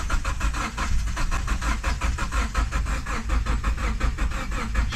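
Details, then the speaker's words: Car from a marketplace sale on the trailer, five gallons of fuel added but fuel gauge didn't move, battery being run down: steady rapid cranking chug about four beats a second, never fires; crank no start. "I thought it was out of fuel so I went and got five gallons and tossed in it but the fuel gauge did not even budge whatsoever we've killed the battery at this point but"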